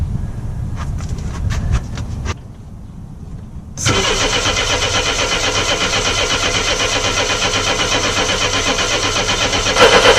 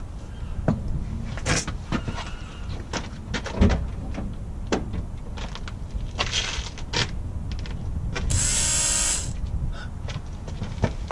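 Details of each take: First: Mercedes 230E W123 after fitting a new fuel pump: starter cranks at a steady four beats per second but the engine never catches; no fuel reaching the fuel lines, accumulator suspected; crank no start. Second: Mercedes-Benz 230E W123, newly fitted fuel pump at key-on after battery reconnected; steady electric buzz for about a second amid clicks, pump priming properly where it never buzzed before.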